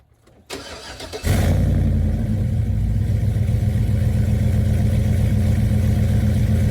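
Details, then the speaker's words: Chevrolet Tahoe V8 just fitted with Speed Engineering long-tube headers, one bolt broken: cranks, fires and settles into lumpy idle with quick light ticking from exhaust leaking past the header; tone less deep than before, car peppier. "so the heads are secure but there is air leaking past and it's causing a ticking sound which sucks it sounds terrible"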